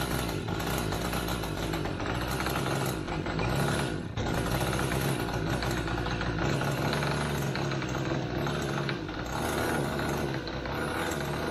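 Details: Limbo Dancer model aircraft glow engine first run-up, needles opened a bit: steady buzzy run, flat and rough at low throttle; very rich at the bottom end, top end not too bad.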